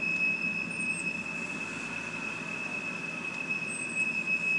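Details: 2007 BMW 328i automatic, parked at idle. A steady, piercing whistle holds over a low rumble while revs surge on their own when braking; it stalls at stops when whistling. Suspected intake or vacuum leak, possibly the crankcase vent valve; not confirmed.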